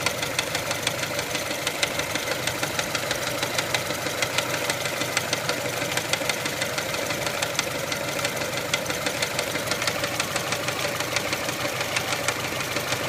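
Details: 1999 Mitsubishi Pajero iO with 4G93 engine at light idle: fast, steady ticking knock about three per second. Owner suspects the crankshaft pulley, which wobbles a fair bit; cause unconfirmed.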